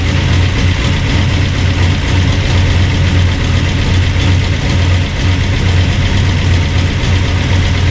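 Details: Burned-up rat rod "Doje'llac" V8 with freshly done carburetors, running again after the fire, oil burning off headers; loud steady lumpy idle, even beat, no misses or knocks; normal idle.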